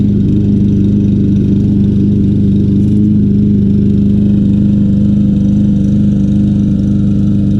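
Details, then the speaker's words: Troy-Bilt TB200 mower, 625EX 150cc Briggs & Stratton engine, long stored, just revived after freeing a suspected stuck float: loud, uneven, wavering run that won't settle; rough running, old gas suspected. "hey the troy build is back to life here not running the best in the world"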